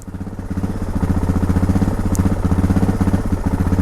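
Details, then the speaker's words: Suzuki DR650 with carburetor and vent mods, at idle: thumpy single-cylinder beat about four a second, loudness creeping up and down unevenly; the idle is hunting and a jet two sizes larger is suggested. "Yeah, it definitely seems jumpy. Yeah, it really goes at idle. Also seems a bit jumpy."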